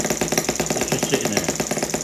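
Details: Stirlingkit M12b single-cylinder spark-ignition model boat engine with a new homemade clutch and front flywheel Hall ignition sensor: quick even ticking at steady idle, clutch freewheeling, no stumbles or knocks; running clean.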